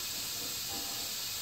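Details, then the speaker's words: '97 Ford F-350 7.3 Powerstroke with an air-to-air intercooler, engine off, pressurized in a boost leak test: steady sharp high hiss. The cracked driver's-side intake boot is the worst leak, with both plenums and a pinhole also leaking. "I did find a few little leaks probably that crack in the boot is the worst of them"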